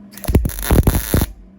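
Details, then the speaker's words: Beginner MIG-welding repair of a broken shop stool: steady, crisp crackle in short bursts with brief pauses, a longer buzz to get heat in; healthy MIG arc, "that sounded good," weld then feels solid. "Try to give it a little longer buzz. Really get some heat in there. I can't see anything, that's my problem. There, that sounded good."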